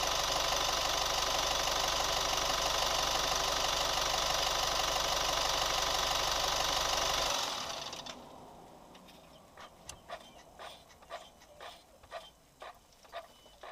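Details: New Chevy Colorado at quiet idle: light very even tick about three times a second; steady engine tick, cause not yet pinned down.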